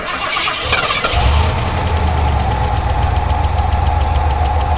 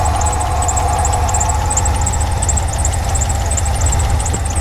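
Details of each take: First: 1989 Ford F150 being revived. Cranked on starting fluid sprayed into the intake: catches and roars a few seconds, then cuts out with popping. Owner suspects mashing the gas while cranking caused the backfire. Brief start, then quits. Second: 1989 Ford F150 being revived, now running after spraying down into the intake: low, steady rumble at about three pulses a second, no misses, holding speed on its own. Normal idle.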